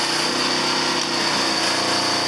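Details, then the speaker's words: Small 2,000-watt portable generator powering a cold tractor's 1,500 W block heater plus a battery charger, about 30 amps total: steady, strained hard-working buzz near full load. "it definitely pulling a draw on that uh on that generator cuz it's only a 2,000 watt generator so 1,500 watts is going right into that block and the rest is going up into that damn battery"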